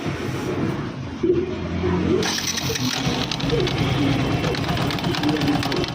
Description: Fzs V3 BS6 bike Engine bad noise ya self bearing problem?